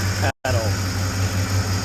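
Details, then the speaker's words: Big-block Ford Bronco, heard from the cab with exhaust now closed up and transmission tunnel covered: low steady even idle burble, no rattle or tick; very quiet, healthy V8. "I never realized till just now just how quiet this engine is from up here. You can barely hear it"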